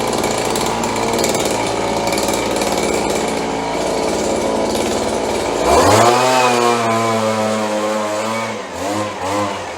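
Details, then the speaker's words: Roughly 30-year-old Stihl BG72 two-stroke gas blower on the starting bench after repair, with good compression and spark, started on choke: a small buzz at steady idle, clean revs, then settling. It started rough but runs much better and smooth once warm. "Runs much better when it warms up."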